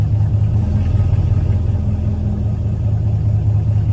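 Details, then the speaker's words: 2016 Chevrolet Camaro SS V8 with a recurring P0700 check-engine code, idling: uneven, wandering idle with revs drifting up and down on their own. Owner suspects throttle body, fuel pump or wiring; cause unknown. "like listen to that Idol like the idle ain't even sounding right look it's going up and down y I don't know what that is"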